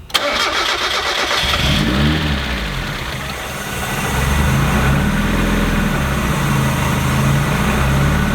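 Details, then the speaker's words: Supercharged lifted rally Mazda Miata first start after fitting charge pipes and rerouting a coolant line that rubbed the belt: quick crank, catches cleanly, revs, then settles to a steady idle after a moment; charge pipes didn't collapse, runs healthy. "Much better! No collapsed charge pipes. We're good. It took a little bit to idle, but that's all right."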